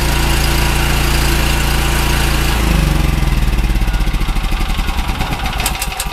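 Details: Generator, checked about a month earlier, oil added to its gas: engine catches and settles into an even, steady beat with no knocks, misses or hunting; healthy.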